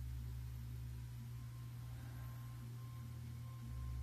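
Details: New Intenso external 8TB drive containing a Seagate ST8000DM002: a constant low droning hum with a faint high whine while idle, which stops during data copying. HD Tune shows damaged blocks and a short Seatools scan passed; abnormal idle noise.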